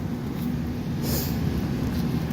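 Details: 1986 Kenmore 70 Power Miser furnace whose fan motor has been cycling on and off while the burners stay lit, possibly via the stack switch; loud, coarse low rumble and roar from the worn, likely failing blower motor.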